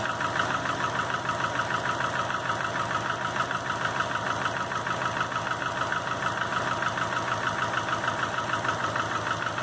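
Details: 2005 Subaru Legacy GT rebuilt (refurbished block, new crank and bearings, used rods/pistons and heads) after spun rod bearings; warm idle oil pressure 22psi, new plugs, no exhaust leaks, used VF40 turbo: steady knock about three per second keeping time with idle, cause unknown.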